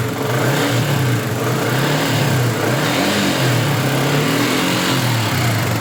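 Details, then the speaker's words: Yamaha Jupiter MX 150 after rebuild (new piston, connecting rod, bearings, camshaft and rocker arm, water pump seal that had let coolant into oil): steady, smooth single-cylinder idle, no knocks or ticks; runs normally again. "Ya, udah nyala normal halus seperti sedia kala semestinya."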